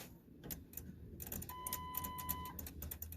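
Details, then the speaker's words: 2007 Lincoln truck security module with no communication: given direct 12 volts it wakes with irregular relay-like clicking and a one-second chime, pointing to a loss of its power feed that needs fixing. "I got it on 12 volts stuck there, and you can hear when I put it in, it's clicking in there. And you can hear everything chiming."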